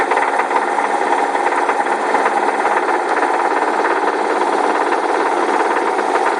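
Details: Car engine driving with a dull, uneven knock through its drone: a rod knock that developed over a weekend. Replacement drivetrain already ordered.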